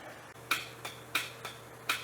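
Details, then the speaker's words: Neglected Ventrac 4500Y compact tractor with 25 HP Kubota diesel, freshly cleaned, first start attempt after poor prior wiring work: key gives only sharp dry metallic clicks, starter won't spin or crank; jumping the starter with a screwdriver later cranks it. "I do get a click. But my starter is not going."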